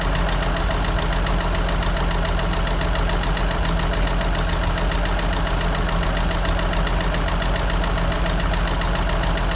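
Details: 1963 Jeep Gladiator at a steady idle: a light, fairly regular tick of about three to four per second. Oil is very dirty and two quarts low, and the battery drains quickly. Cause not pinned down.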